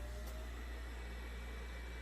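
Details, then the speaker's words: Red Bull VC206565008 LED Eco mini fridge after replacing original Jamicon KF0510S1MR-R sleeve-bearing 12 V exhaust fan, cover off: quiet steady low whir, no rattle or bearing chatter; new fan runs smoothly. "that's already way quieter. And the cover is off. So, it'll be even quieter with the cover on."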